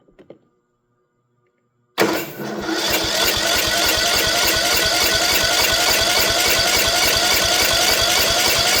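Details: Troy-Bilt mower with a Kohler 18 hp engine after its carburetor fuel solenoid was replaced; the solenoid clicks and the choke is on, with little fuel in the tank. The starter spins the engine steadily but it never fires: cranks, no start.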